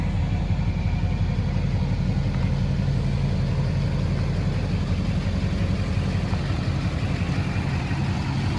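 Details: 2006 Chevy Silverado 3500 4x4, 6.6 Duramax diesel, 25k miles, serviced: just started, smooth, low, even idle with soft regular beat, no ticks or knocks; very quiet, healthy engine.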